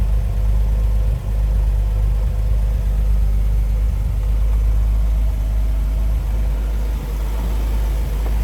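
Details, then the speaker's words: 1931 Chevrolet Independence coupe, stove bolt six with electric fuel pump, after an easy start: low, steady, even idle with no knocks or misses. Normal idle. "Flip around to the back of this and hear it run. About like you'd expect a 1931 Chevy to sound."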